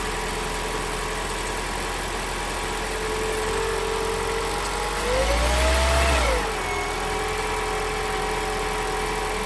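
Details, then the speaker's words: 2019 Toyota C-HR Hybrid 1.8 idling after an oil and oil filter change, air filter change and coolant check; smooth even idle hum with a brief rise in revs midway, no knocks or ticks, engine sounds good and runs sweet. "that's it engine sounds good running sweet"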